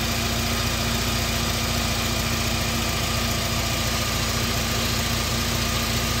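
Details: Car after repair of belt snapped by a seized idler pulley, new belt and pulleys fitted: steady, even idle with constant hum, no misses, ticks or belt squeal; running smoothly.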